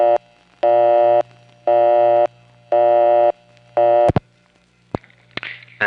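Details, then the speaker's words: 1971–77 New York area coin test line: low tone switching on and off about once a second, a busy signal. Busy means it saw a coin that should already have been collected or returned. "the busy signal means that it saw a coin after there shouldn't be one because it's supposed to have just collected or returned."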